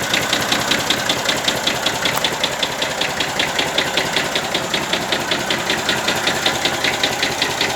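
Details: 1965 Massey Ferguson 135 diesel tractor at idle: sharp regular metallic knock about 160 per minute over the diesel clatter, seemingly from the top of cylinder 1 or 2; later hard starting and oil spitting from the dipstick tube, rebuild likely; engine knock.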